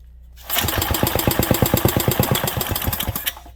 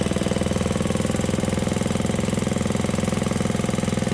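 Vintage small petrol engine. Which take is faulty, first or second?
first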